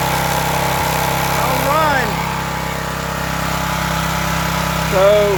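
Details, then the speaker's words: Old Craftsman pressure washer small engine after carburetor removed and cleaned (clogged emulsion tube cleared), started on choke then run off choke with throttle: steady even idle, low hum, no misses or knocks; runs normally, though it needs an oil change. "sweet didn't have to do much to it it does need an oil change though"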